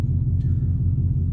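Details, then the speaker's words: 2003 Chevy Silverado 6.0L V8, tuned on 93 octane, idling after throttle body/TPS replacement and coolant bypass fix: low even burble, no hunting or surging; steady healthy idle. "I'm gonna let it idle for like 3-4 minutes, or a little while, maybe more, see how it runs."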